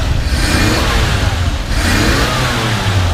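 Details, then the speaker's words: 1953 Chevrolet 3105 panel truck, original survivor with about 23,680 miles, warm inline six given light throttle blips: smooth note swells and settles twice, even and steady with no knocks or misfires, purrs; normal revving. "just purrs like a kitten. Listen, just amazing."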